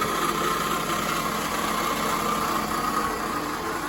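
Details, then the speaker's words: 2004 Toyota RAV4 2.4 L four-cylinder at idle: loose, chattering harmonic rattle over the engine note; owner suspects worn water pump bearings. Water pump bearing rattle. "so I'm pretty sure what that is is the uh the bearings in the water pump and I have a new water pump"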